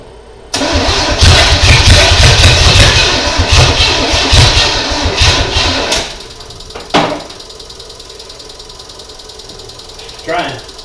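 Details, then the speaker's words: 1987 Monte Carlo SS after 20+ years sitting, open headers with no exhaust pipe, gas poured in: fast cranking about five seconds with a few rough catches, won't keep running; owner suspects not enough fuel, considers plugs, wires, electric pump. "well she's fired if it wants to but i think uh just not getting enough gas to it"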